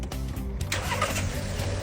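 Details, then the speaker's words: Car that previously restarted only in the morning and would not restart once switched off, hot restart after repair with water temperature normal: brief crank, fires promptly into a steady, even idle; normal hot start, problem solved. "look here the engine is running very smoothly the problem has been completely solved"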